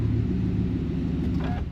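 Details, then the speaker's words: 2020 GMC Sierra Denali 6.2 V8 after replacing idler pulley and stretch belt for a terrible whine: deep even rumble as revs rise, no whine left; belt drive normal. "I don't know guys I still feel like I hear it a little bit maybe it's just in my head let's rev it up a little [Music] bit it's gone that was it"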